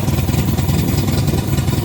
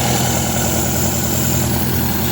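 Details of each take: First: 1972 MGB with twin SU HIF44 carburetors: slow, lumpy, low-pitched thumping, engine barely ticking over; idle speed too low, to be raised and carbs balanced. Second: 1972 MGB with twin SU HIF44 carburetors, after a quarter-turn adjustment: low, even idle rumble with a steady beat, no misses, much smoother; idle earlier 1400 rpm, later set to about 1200–1300 rpm.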